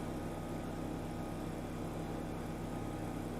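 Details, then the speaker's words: BMW E61 535i wagon bought at auction. After the codes were erased with a scan tool, the air suspension compressor runs with a steady, even electric hum and raises the car. The owner had suspected the valves weren't opening. The compressor is operating normally. "I just erased the codes and I hear the compressor kicking on it's raising it's kind of"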